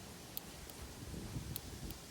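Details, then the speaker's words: Skyline R30 drift car with RB engine, sat for years: injector thought to be gummed up jumped directly to battery, four crisp ticks as it opens and shuts; resistance tested fine; fuel injector clicking normally. "says click click click click so that's that's opening closing fine so I've done that to each one"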